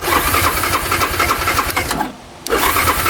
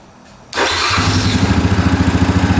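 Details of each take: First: 2009 Yamaha Grizzly 550 EFI ATV: steady starter churning in two long bursts at about three to four turns a second, never firing, with the engine light on; a crank-no-start, cause unknown, and the throttle cable is frayed. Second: 2009 Yamaha Grizzly 550 EFI ATV, restart after running with engine light staying off, fuel pump audible: catches at once, settles into quick, even putter of about nine beats a second; normal start and idle.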